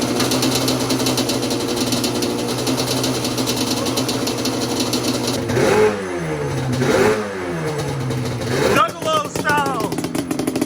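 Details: Yamaha Banshee two-stroke twin with cool head and Toomey dune pipes, freshly bought and untouched, carbs still need going through, started on choke on a freezing day: crisp crackle settles at idle, quick blips rev freely and cleanly, runs healthy.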